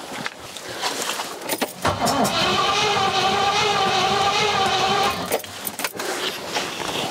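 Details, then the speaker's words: Rover P6 with a 4.6 V8, fuel pump audible: an even cranking chug of about three beats a second for several seconds with slight coughs but no start. Spark appears present; owner suspects fuel isn't filling up. "oh it sounds like it's nearly going but it's not quite i don't know why"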